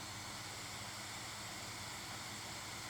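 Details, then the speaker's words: Steam Deck just returned from RMA: right after power-on the cooling fan gives a steady, loud airy rush at full speed that never changes and never turns off, while the overlay reads 0 RPM; changing fan settings has no effect. "you can see there it says that the fan is at zero RPMs when you can clearly hear that the fan is on and blowing pretty loud. Hasn't turned off since."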